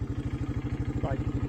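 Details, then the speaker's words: 1984 Honda Big Red 200 three-wheeler, restored after sitting about 25 to 30 years, with a new carburetor, cables and an oil change. Quick, even single-cylinder thumping at about ten beats a second, no knocks or misses; the motor sounds good. "could not get one to work at the moment but the motor sounds good"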